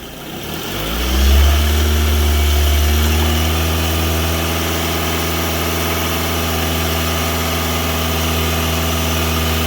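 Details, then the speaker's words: 2006 Scion tC after alternator replacement, loaded charging test with rpm raised: engine picks up from idle and holds smooth even higher speed, steady drone, no knocks; charging normal. Normal engine at raised rpm. "Good voltage, loaded testing. Bring the RPMs up."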